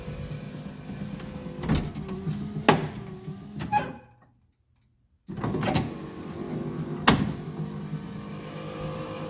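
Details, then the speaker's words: Lincoln Continental driver's front door, after the window motor was removed and its torque bushings fixed: the window motor hums smoothly through its travel. A few soft vent-window gear clunks remain at the ends of the stroke, much improved. "makes a little bit of that clunking sound but just boy it works great a lot better"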